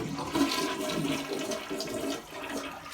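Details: Toilet flushing after a stubborn blockage was cleared with an auger and hanger: strong rushing swirl that drains steadily and tapers off without gurgling or backing up; normal clear flush.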